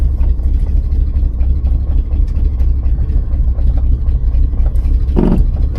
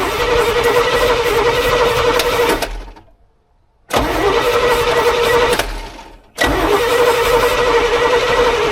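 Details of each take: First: 1986 GMC square-body truck with Chevy 350 V8, first start after 9 years sitting, idling in neutral: deep, even, steady low rumble with no knocks or misses. Normal idle. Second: 1986 GMC square body, sat 9 years, two-stroke oil added to fuel, first start attempt: three long cranking bursts, even rapid chug about four turns a second, each dying off without catching.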